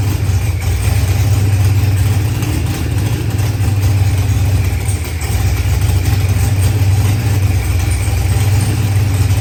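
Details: Procharged LS V8 with 12-1 crank trigger, running after start troubles were fixed; deep, even rumble holding steady with slight rise and fall, no stumble or tick; normal running.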